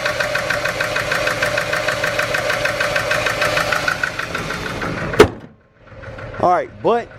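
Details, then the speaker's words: Worn-out V6 SN95 Ford Mustang ($300 budget car), started up at idle before a Dragy run: running rougher than before, uneven lumpy idle with irregular thumps then a sharp crack; owner doubts it has much life left. "now she's running a little rougher I don't think she's got much more life left in her so let's start her up yeah she's running a little rougher guys I don't know if you can tell but"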